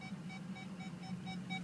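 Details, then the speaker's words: 2004 Ford F250 diesel 4x4, 139,825 miles, engine running: rapid clean beeps, about four a second, steady mid-high tone over faint engine hum; parking sensor warning working normally. "Hear that? That is a functional parking sensor. I don't know how that happened, but it did. That's amazing. They never work, ever."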